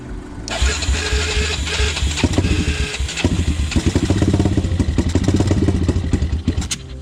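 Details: Honda 400EX ATV single-cylinder four-stroke, after fixing idle air screw, pilot jet and main jet: steady low idle thump with throttle blips rising and falling cleanly, no stumbling or popping; running normally.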